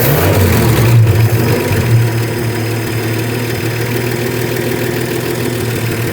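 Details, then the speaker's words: 1967 Ford F-100, 240 inline-six, first start: it fires with a loud surge, then drops into a lumpy low thump around four beats a second. Rough, slightly missing idle before idle adjustment; cause unconfirmed. "It will run. Wow. Quieting out. Moving out. Wow. It's going to idle. Let me adjust the idle."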